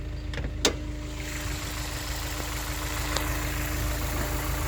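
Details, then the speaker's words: 2004 Honda S2000, about 109,757 on the cluster, idling at startup with the hood open during a pre-purchase inspection: smooth, even low hum, VTEC purring fine, no misses, knocks or ticks; slight coolant smell and possible coolant leak noted. Healthy idle. "So as you can see, it seems to be running pretty smooth. The VTEC purring just fine."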